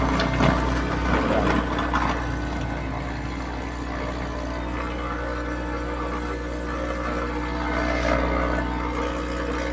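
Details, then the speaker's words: Sakura AV-735 amplifier with an equalizer plugged into its A/B input jack: a constant low buzzing hum through the speakers that stops when the input jack is unplugged; traced to the amplifier, not the equalizer, with a missing ground on the input wiring. "So kung maririnig niyo umuugong yung speaker bunutin na natin yan"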